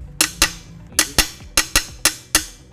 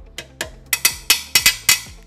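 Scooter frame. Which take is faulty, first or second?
second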